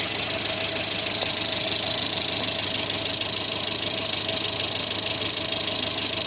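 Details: 1986 Renault Super 5 GTL 1.1 petrol: a steady, even idle with a smooth hiss and no misses or knocks; owner calls the idle fairly stable, though light smoke rises near the starter.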